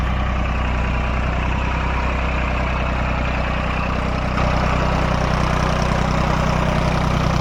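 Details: Diesel engine after diesel pump repair and setting: steady, even chugging about 207 beats a minute with firm low thump, no misses; sound right and taking load properly.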